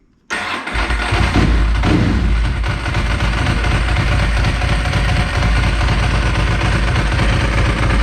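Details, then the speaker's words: Kawasaki Ninja 250 cold start, choked, battery reading 12.2 V and worn from many deep discharges: sluggish cranking catches within a second, then a steady, slightly lumpy low idle. Slow cranking from a weak battery. "yeah the battery is still a little bit on the low side that's how she"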